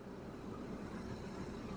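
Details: Campervan with 3.0L Iveco diesel (Fiat Ducato-type) idling steadily with AC running during refrigerant refill, vents at 13 degrees; even low drone, no knocks, squeals or rattles; normal healthy idle.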